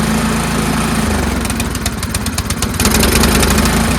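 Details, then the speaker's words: Troy-Bilt Storm 2410 two-stage snowblower, just after the pilot jet was blown out and refitted: speed rises and sags every second or so, a mild governor hunt, better but still surging; governor tension spring suspected. "So it's better. It is a little better, but it still surges, right? But it is definitely better."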